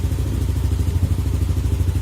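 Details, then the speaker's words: Yamaha fuel-injected motorcycle after replacing a faulty Xride idle speed control valve, error 37, and resetting the ISC. Even, steady low thrum with a regular beat and no hunting or stumbling; the engine idles normally. "Nah udah nyala ya guys motornya dan kondisinya normal ini seperti ini"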